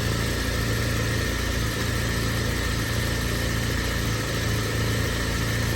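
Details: BMW E36 Compact, M4x four-cylinder, about 100,085 original miles, cold idle with no throttle just after start, no check engine light; loud, low, uneven lumpy beat that never settles; rough idle that smooths when warm; owner suspects idle control valve, AFM seems to be working.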